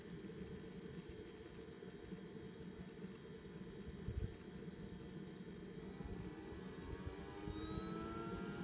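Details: JetCat P100RX turbine, first start of the day: hiss and rumble, then a whine rising as it spools. On the acceleration ramp, chamber temperature falls from 130 degrees to zero and the start aborts with "low temp", leaving the turbine kerosene-soaked. Changing the accel2 parameter sometimes helps; an ECU update is planned.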